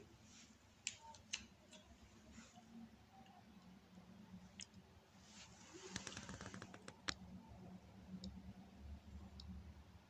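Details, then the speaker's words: 48-inch TV, main board connected only to power board, 220 V applied through series bulb: sharp relay-like clicks at uneven intervals over faint hum, bulb flashing, periodic cutouts; board cycling on power-up, fault uncertain. "e orada Kısa kesilmeler oluyor ve burada da röle sesi geliyor yani periyodik bir durum var bu tam bir arıza mı değil mi Bundan tam emin değilim"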